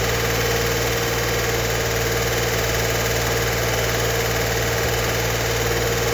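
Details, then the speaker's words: 1964 Corvair Monza Spyder turbo engine, first startup after the build, with new cam break-in planned at 2000 rpm. It gives a steady, busy idle with quick light ticking as the lifters are not yet pumped up, which is normal. "We're not just revving it up to hear the clicking and clacking on the lifters before they're fully pumped up."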